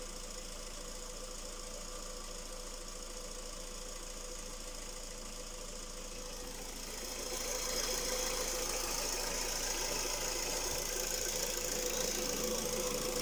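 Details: Skoda Rapid 1.6 CFNA 105 hp idling: a steady, fairly even tapping at about three to four per second over the hum. An internal engine knock, source not yet known.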